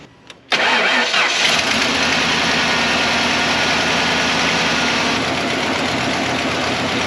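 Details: 1995 Ford F-150 V8 running on 7 of 8 cylinders: rough uneven lumpy idle as one cylinder isn't pulling; plug wires rerouted off raw edges, sounds better but not fixed; owner suspects hole in piston, stuck valve or bad injector.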